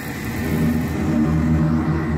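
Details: AAON gas-fired rooftop unit that had been blowing cold air; after spark ignition, a steady low burner roar builds and holds over the fan hum with no puffing or cutting out; the burner is running normally.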